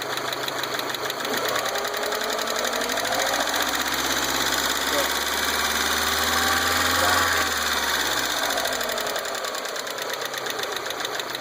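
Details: 1.8T turbo engine running: fast fairly regular chatter, about three ticks a second, over the engine; a knock with no clear cause.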